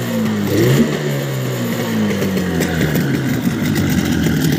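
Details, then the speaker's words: Warm outboard boat motor after sealing fuel filter air leak and carburettor re-tune (mixture two turns out) at +5 °C; settles from a rev into steady even drone, no stumbles or sneezes; owner suspects fuel pump lets fuel drain back from primer bulb. "всё вроде настроил на горячую не чихает сейчас еще поработать"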